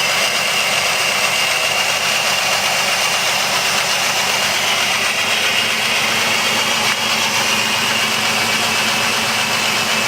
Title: 2005 jeep liberty rough idle